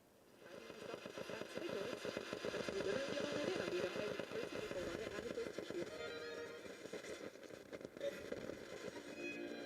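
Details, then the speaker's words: Vintage Panasonic RE-7257 radio (7 diode, 10 transistor) first powered on an isolated supply at two amps, before repair: receives but music pulses and wavers, roughly three dips a second; bad audio flutter, cause not yet found. "it does receive but it's fluttering pretty badly"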